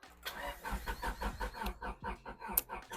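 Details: Honda Civic EG hatch that had sat with old fuel (tank treated), clutch held down: steady starter cranking at about two and a half beats a second and the engine never runs on its own, a crank no-start.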